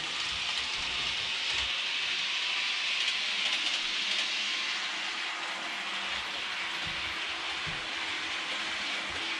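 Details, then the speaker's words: Realtrack Class 156 model train (RT156-312, 156497) after one-hour running-in in one direction: high thin squeal over running hiss; axle/wheelset squeal, cause not yet found. "You can see there, first pass is starting to be squeaking a little more. After I've done this for a couple of minutes, it's going to be squeaking right back the way it was before."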